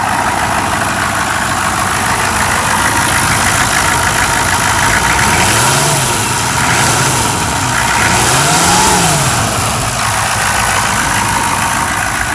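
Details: 6.5 turbo diesel idling after a hard cold start: steady, even diesel clatter under loud fan roar, gentle rise and fall, no misses; idles healthy.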